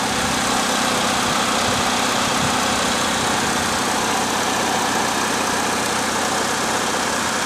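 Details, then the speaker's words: 2008 Pontiac G6 2.4 at about 102,880 miles, started right after an oil change with oil pressure up: smooth even idle, no ticking or knocking, sounds healthy. "sounds good no obnoxious ticking or"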